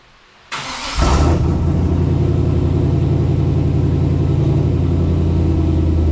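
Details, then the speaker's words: 2000 Chevy K2500 flatbed, 350 small-block V8, newly installed no-weld stainless exhaust replacing rusted factory system; cranks, catches in a second, settles to a steady deep even burble at idle, a bit loud but healthy, no check engine light; normal exhaust note. "A little bit loud. Need to get it out from under the flatbed."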